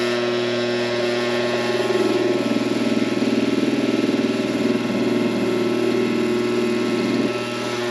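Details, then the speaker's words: Coleman Presidential II furnace blower motor, cleaned and greased with synthetic grease, bench-run on a cord: rough fluttering hum with fast irregular rattle; runs noisy, shaft has slack, owner suspects worn bushings. "It doesn't sound real good. Doesn't sound good at all."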